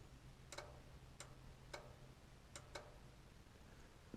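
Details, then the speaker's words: 1962 Morris Minor with newly wired spotlights, fused feed from the battery to the relay, crudely wired: crisp, sharp relay clicks in uneven pairs about every half second over a quiet background; relay switching normally. "The other side I've just tucked in the battery, and if you listen you can hear the relay."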